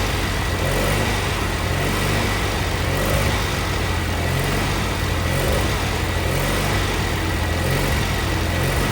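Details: Cub Cadet Cyclops twin-cylinder Kohler 18 engine, first start after replacing the head for a badly blown head gasket, run off an M18 battery pack wired to the starter: ticks over steadily with an even low thrum, no knocks or misses, healthy idle.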